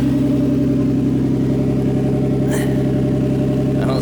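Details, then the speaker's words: Nissan A31 Cefiro RB20DET with an R34 RB25 Neo turbo, first start, coolant bleeding, downpipe only with no exhaust: loud, raspy, even idle that sounds like an exhaust leak, no misfire or knock; engine itself super quiet, no leaks. "right now all i have is the down pipe so it almost sounds like an exhaust leak but the engine is super duper quiet"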